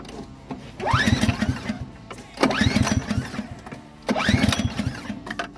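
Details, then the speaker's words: Customer's snowblower with a no-start complaint. Three pull-start attempts about 1.5 s apart; it turns over briefly but never catches. Carb is to be taken apart, and a mouse nest was found under the top cover, suspected cause. "Definitely sounds like a new start. So, we're going to take apart the carb and see what's going on."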